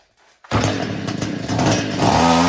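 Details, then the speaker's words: Echo weed eater, small two-stroke, after the carburetor pump was cleaned: fires and revs raggedly, surging and stumbling without holding speed, then stalls right out; carburetor fault under investigation. "All right, that's what it sounds like, and it'll stall right out."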